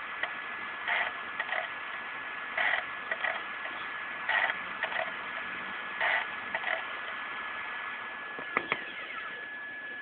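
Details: Xbox 360 showing unplayable disc despite magnet check and lens cleaning: soft whirring bursts about every second and a half as the laser seeks repeatedly, then the drive gives up; disc read failure.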